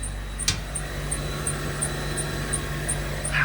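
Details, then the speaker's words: Jaguar X350 XJR supercharged, idling after clearing air suspension fault codes: thin steady high whistle with a couple of clicks, pump heard, no level change; air leaking from the suspension, heard on one side. "I mean, I'm a Rover guy. I know what that whistling sound is. I just can't tell if it's coming up."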